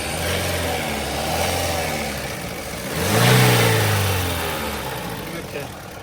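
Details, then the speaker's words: Toyota Corolla engine, rebuilt before and reopened: idles with a rev blip and an uneven mechanical rattle over it; source unconfirmed, mechanics variously suspect timing chain, crank, cam, governor or loose pistons. "आप timing change बोल रहे हो, ये बोल रहा है crank की आवाज़ है, कभी बोल रहा है गवर्नर की आवाज़ है।"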